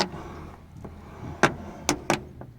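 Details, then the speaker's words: Car door swinging open and closed: a few sharp creaking clicks; silicone lubricant on hinges and check strap did not stop the creak, source unclear. "Что делать если двери на авто скрипят как суставы после тридцати"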